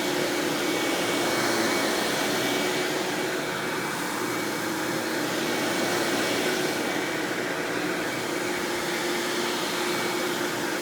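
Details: 1997 Hoover Dirt Finder Power Drive self-propelled upright vacuum, model U6331-930, Elite style, running: smooth, constant motor hum with faint steady tone, no rattling, thumping or belt squeal; exceptionally smooth, surprisingly quiet, normal running.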